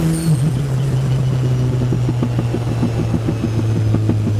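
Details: Race car at Anglesey after fixing a water leak from a corroded cylinder head core plug: steady low drone under load broken by ragged uneven pulses, a chronic misfire in third and fourth; later resolved by engine rebuild, new plugs and coil packs.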